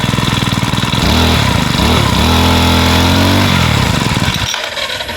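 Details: Makita brush cutter after repairing its broken pull-start rope: two-stroke catches cleanly, revs up, then settles into steady even buzz with no misfire or rattle; running healthy.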